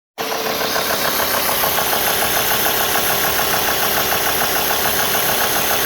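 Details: Warm Alfa Romeo 2.4 JTDm diesel at idle with 90°C water temperature: a fast, fairly regular knock, roughly three per second, over a hissy background. The source is undetermined.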